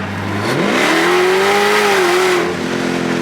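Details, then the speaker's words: Dodge Demon 170 on E94 ethanol at altitude, in drag mode: a short pull where the engine note climbs smoothly in pitch with a clean whine on top, then eases off without stumbles; healthy, normal acceleration. "Just a little pull. I love the way this car drives and sounds. It's amazing."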